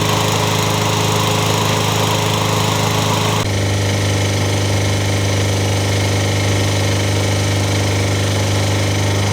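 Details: Toro engine swapped onto a Craftsman mower. It runs loud and steady with an uneven tapping under the exhaust beat. The owner suspects it is just starting to knock, cause unconfirmed.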